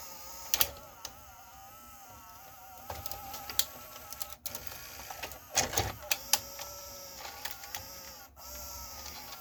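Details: Emerson VCR765, Orion-made, around 1990, playing a tape. A whirring motor tone wavers in pitch with sporadic clicks and clatters from the transport mechanism. Belts feel crusty but belt slipping was ruled out; the unit struggles to eject and may need lubrication.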